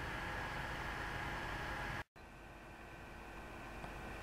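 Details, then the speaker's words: GeForce GTX 580 graphics card fan at idle, recorded with the camera held close to the fan; a soft, steady whoosh with a faint hum, an abrupt cut, then a quieter steady whirr, which is normal idle fan noise. "So right now we've got the GTX 580 idling, and let's get in nice and close and listen."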